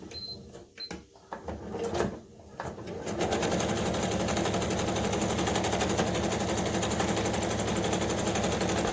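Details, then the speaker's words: Kenmore 385.19550 computerized sewing machine (made in Taiwan) running fast stitches with a harsh, loud, dry clatter of about four stitches a second; noisy running from lack of lubrication, before grease/lubricant maintenance. "so you can see the machines quite noisy actually here"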